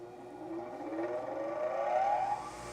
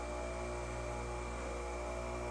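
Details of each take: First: Bench grinder during a four-run balance with the trial weight moved to the zero position, accelerometer on a Falcon collector: smooth hum rising evenly, no knock or wobble. Feels smooth, reading about .16 in/sec versus .80 originally. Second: Bench grinder with deliberately added unbalance, baseline run with no trial mass, accelerometer on Falcon data collector: steady hum with strong low drone at running speed, no knocks; 1x amplitude .851 in/sec, rotor out of balance.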